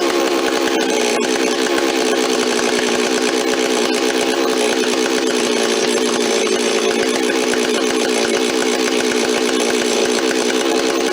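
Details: Rebuilt Stihl 026 two-stroke chainsaw, parts saw restored with aftermarket parts, first run on fresh high-octane fuel with no bar or chain fitted: steady high-pitched buzz holding even high revs without surging or bogging; normal high-speed running.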